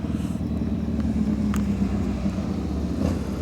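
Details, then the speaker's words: 1993 Harley FXR 80ci V-twin after broken exhaust stud repair and quick top-end rebuild, test ride: steady low rumble, even beat, no ticking, knocking or exhaust leak puffs; sounds totally different, running healthy. "sounds totally different now"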